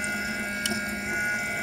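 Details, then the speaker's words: BMW E90 335i electric coolant pump running during the self-bleed procedure (ignition on, heater max, fan low, pedal floored 10 seconds) after adding antifreeze. Steady electric hum with a faint watery rush, pitch even. Pump working normally, some air still present. "you can hear the pump woring though there's some air"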